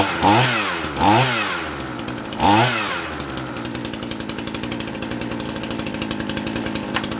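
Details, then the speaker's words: Handy 38cc petrol two-stroke chainsaw, donated, started on half choke with chain brake on: three sharp revs rising and falling, then a steady fast, even buzzing idle; runs cleanly. "I'll have to say dude you sure you gave me the right one because this bloody works"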